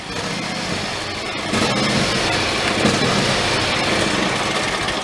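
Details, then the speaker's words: John Deere riding mower that runs about 10 minutes and then shuts off: the engine note swells, then wavers unevenly in a surge that worsens until it stalls. Cracking the gas cap ruled out fuel-tank venting; owner guesses a dirty idle circuit. "the worst it gets and it go to the point where it actually stalls out"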